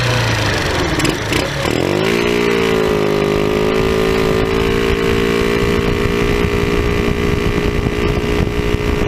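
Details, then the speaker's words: Tao Tao scooter with an aftermarket cone air filter replacing the stock airbox: steady buzzy idle after a quick rev with a raspy, hollow honk like a bad exhaust, loud intake noise; the stock filter was reinstalled. "so I didn't really like the way that sound it it just sounds like it's got a bad exhaust with this thing"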